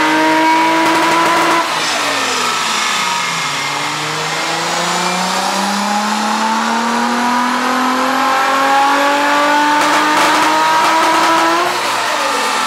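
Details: R33 on a dyno under load: the engine note sweeps up and down with a ragged, stumbling edge through the pulls; a misfire on the rollers.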